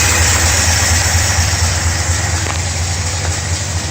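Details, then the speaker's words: 1955 Studebaker Speedster 259 V8, Carter WCFB 4-barrel carb just rebuilt (plugged jets, worn pump, sticking parts), not yet tuned: steady, even idle sitting a little high, pulsing about twice a second. "Fast idle was a little bit too fast, but I'm happy with the way it starts."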